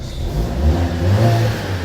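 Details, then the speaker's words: Vauxhall Mokka with engine management light on, before going on the lift: engine revving with a coarse, raspy blowing roar, a "race car exhaust"; exhaust leak. "We can hear it's got the race car exhaust."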